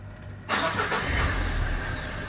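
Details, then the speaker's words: Derbi Euro 3 engine with a completely dead battery, started using a Topdon jump starter booster: quiet, then a quick start after half a second and a steady, even idle without stumbling; normal start. "Ça démarre parfaitement, alors que la batterie est morte. Incroyable!"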